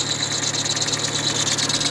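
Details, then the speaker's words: Idling car engine with a shrill, rapidly fluttering chirp from the alternator/tensioner accessory belt; a new belt did not cure it, and the cause was misaligned pulleys. "essa Correia ela tá nova Mas continuou com o barulho então não provavelmente não vai estar na Correia"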